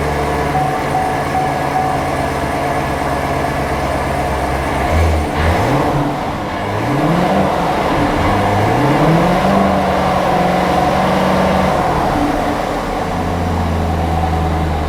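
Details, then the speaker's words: C7 Corvette V8 after replacing the serpentine belt tensioner assembly to cure a squeal: idles and revs smoothly, pitch following the throttle, with no squeal or chirp; normal belt drive. "oh yeah I can't hear the Silling anymore I don't hear that Silling sound so I do believe that that took care of my problem I'm not hearing that squeal sound anymore"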